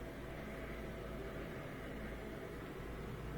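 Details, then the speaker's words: Miele Incognito dishwasher with F-08 error, previously circulating 10 seconds then pausing 10 seconds: during fill, quiet even hum with water swishing running continuously without cutting out; circulation pump now running normally. "and then it should circulate just listen a little circulation already you can hear it"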